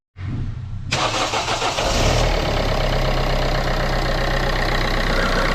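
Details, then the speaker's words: Ford Fiesta Fusion TDCi diesel at 120,000 miles, after new copper sealing washers on all four injectors to cure injector chuffing. A short crank, then it catches at once and settles into an even, steady idle. "there we go that sounds a little bit better I'll tell you all for 120 000 miles it sounds quite nice to be honest"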